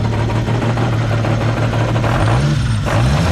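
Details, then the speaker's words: Supra with rewired harness and new AEM Infinity ECU, first startup: deep, uneven idle that lumps and hunts; rough because engine management is not yet tuned. "it's obviously not tuned so"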